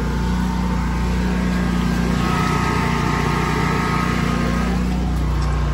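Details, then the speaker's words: Standby generator in a blocked enclosure, running during a post-Hurricane Isaias service call: heavy low drone with uneven surging beat, engine starved for air and hunting; sounds better with enclosure open; homeowner must clear obstruction. Restricted air intake. "let the homeowner know they got to do something about that you can hear it starving for air making it hunt"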